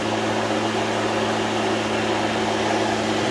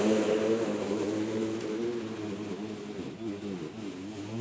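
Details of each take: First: Litheli 13-inch cordless battery lawn mower, first start, blade spinning freely with no load: even whooshing whir with a steady hum, no rattles or pitch wobble; healthy. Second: Litheli 13-inch cordless battery mower mulching very thick grass: motor hum sags in pitch and wavers for a few seconds, then recovers; straining under heavy load but still cutting.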